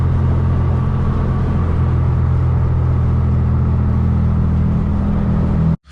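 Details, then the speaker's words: Honda Civic Si/EX (2006–2015 generation) while driving: constant low steady-pitch drone under road rumble, no grinding; wheel bearing suspected, not confirmed, before bearing replacement. "no grinding no grinding but i am noticing that i'm having a humming noise guys and i'm going to drop that clip for you right here so you can hear what i'm talking"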